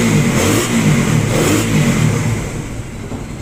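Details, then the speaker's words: Motorcycle single-cylinder after repair for a noisy engine: damaged parts replaced, new timing chain and guides fitted, original tensioner reset and reused. Now idles smooth and even with a brief rev, no ticking or rattle, no misfire; normal idle. "okay na yung motor niya wala ng ingay ah maayos na yung Menor at hindi na siya palyado"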